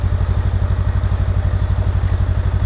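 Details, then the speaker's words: 2021 Honda Rebel 500 twin, run the day after a crash to check for engine damage and shifted through all six gears: an even, steady low thumping with no knocks, ticks or rattles; no weird noises, runs smoothly. "sixth I don't hear any weird noises or anything like that so like I said I wouldn't expect there to be anything necessarily wrong mechanically with it in terms of the mot or not running or anything but you never know"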